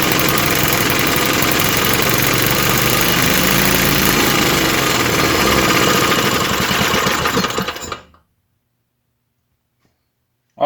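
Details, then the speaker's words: 1948 Johnson Iron Horse small 4-stroke single-cylinder utility engine, started on choke: steady thumping at about three beats a second, slightly uneven, then dying away; runs but owner says the carb needs tuning, and oil is seen burning off. "need some carb tuning and everything but that is pretty good i'd say looks like some oil coming out of there burning off and stuff"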